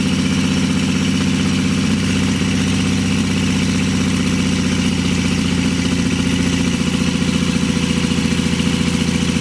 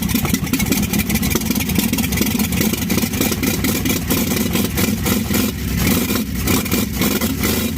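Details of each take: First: 1952 Chevy engine restarted after refitting the fuel pump ground wire, which had caused the earlier stall, running on gas with a little oil mixed in; steady low rumble at 3–4 beats per second, smooth idle without stumbling. Carburetor rebuild pending. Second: 1952 Chevy first start with new Autolite plugs and old starter, vapor seen coming from the fuel line outlet: chugs unevenly with a ragged, lumpy beat and light tapping on top; runs rough, owner says carburetor work needed.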